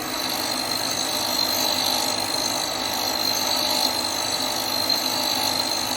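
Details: Hope Woodturning MK2 thread-cutting jig on a router at about 3000 rpm, male thread in beech, 4th-click pass: constant high whine over a soft, even cutting hiss, no chatter or bogging; normal cutting.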